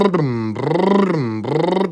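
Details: Honda petrol engine with a hunting/surging idle, swinging up and down in pitch about once a second; possibly accompanied by code P0505 (idle control system problem).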